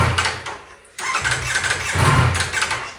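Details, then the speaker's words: Rebuilt wrecked 2024 Ducati V4 Panigale, started with throttle held half open: catches unevenly, surges, drops out after about a second, then sputters and fades. It starts but dies when given gas; cause unclear. "so if I go to start it it'll start up but then it dies if I give it gas but if I hold the throttle halfway open and hit the starter button check this out take two not good"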